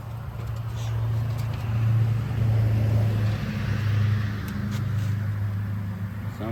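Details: 1978 International Transtar II cabover diesel, first run after long sitting during restoration: deep, steady idle with even low rumble, no knocks or misses; normal idle.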